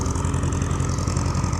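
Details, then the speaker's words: Farmall H row-crop tractor with a lumpy, uneven idle and a skipping low thump, as if one cylinder keeps dropping out; a misfire the owner suspects is a dead spark plug, plugs not yet checked. "Sounds like she's developed a bit of a mess. We'll have to drop the plugs out of her. Probably won't be happening this episode, but yeah, she's definitely got a dead plug. I've never heard her run like that before."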